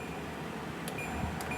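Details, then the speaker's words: Dual-inverter air conditioner on full high fan speed, compressor not yet running: soft, steady rush of air with a low, even hum, no rattles or squeals; normal quiet fan running. "the compressor doesn't come on right away but oh my god this thing is quiet even when i put it on full"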